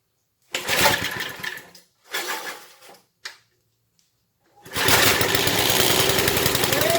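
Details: Briggs and Stratton powered rotavator, possibly 1970s, sat around four years. Three hard cord pulls, then the single-cylinder catches and holds a fast, even beat at full throttle; running normally.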